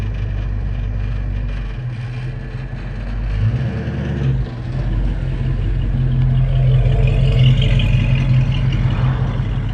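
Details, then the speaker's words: Project 1970 Mustang with a newly installed engine (tagged 429), picked up from the muffler shop with old mufflers blowing out: a deep, even V8 burble that revs smoothly and settles back, with no rattles or leaks. It runs normally. "she fired up sounds good blowing out them old muffers"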